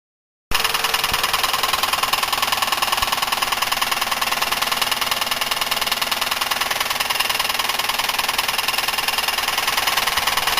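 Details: Buick 3800 V6 idling with a sharp, steady knock about three per second, thought to be rod knock but traced to a bad wrist pin and piston, not lifters or bearings; teardown found nothing else; suspected cause oil starvation or overheating.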